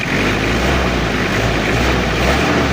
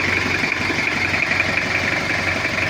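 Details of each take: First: Toyota Kijang diesel with a history of overheating, after cylinder head service and injection pump timing set to zero: clatters through a blip, then settles into a slightly lumpy, uneven idle because the cylinder liners are pitted and scored. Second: Toyota Kijang diesel with an overheating history, after cylinder head work and injection pump setting: cold idle slightly rough from cold fuel but an even, countable 1-2-3-4 clatter; healthy.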